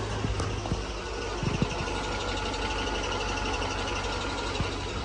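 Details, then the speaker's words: Chevy LS 5.3 V8 in a Silverado idling on blocks, with irregular low ticks and a squeak that grew worse over time. First thought to be a lifter, now suspected to be a cracked flexplate rubbing on itself. "we've got an LS that's got a squeak and we first thought lifter but it's been a little bit and it's getting worse and worse Crank It Up Taylor let's let them hear it and now we're thinking maybe it's a crack fly wheel"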